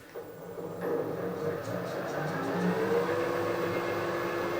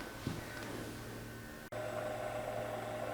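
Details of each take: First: Harrison universal milling machine table motor after fitting new bearings and a new gearbox base seal, retaining plate gasket being changed to 0.3 mm for bearing end float: motor spins up to a smooth, even hum, no grinding; normal run. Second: Harrison universal mill table motor run on the bench after removal, before bearing replacement: steady hum with a gravelly, uneven rumble underneath; the bearings sound rough and must come out. Worn motor bearings.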